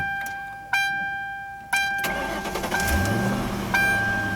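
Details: 2000 Ford Crown Victoria P71 Police Interceptor V8, about 117,000 miles, auction car: after key chimes, short crank catches at once and settles into even idle; normal start.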